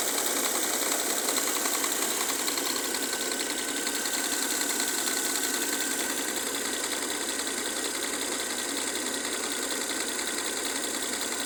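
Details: Mercedes W212 with M272 V6: a sharp, light metallic clacking two to three times a second over a quiet engine, which the owner thinks comes from one area of the engine; the source is unknown.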